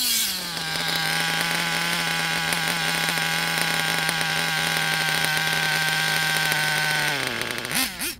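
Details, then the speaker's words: Nitro RC engine (Savage) during tuning, after a small lean adjustment of the low-speed needle: high buzzy idle holds about seven seconds, a little longer than before, then revs sag and drop. Idle drop from a still-rich low-speed needle. "you can hear a slight improvement here in this clip and a little bit longer of an idle before the rpms drop again"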